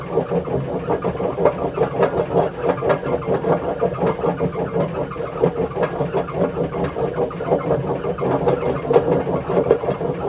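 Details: Bush WMDF612 washing machine: a heavy pulsing rumble and grinding, surging about twice a second as the drum turns. The drum bearings are badly worn, judged not worth fixing.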